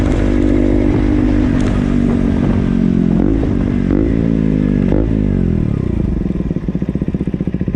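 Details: KTM Duke engine: revs sag and wander, then settle into an uneven, clattery idle with a loose mechanical rattle on each beat; abnormal engine noise, cause not identified.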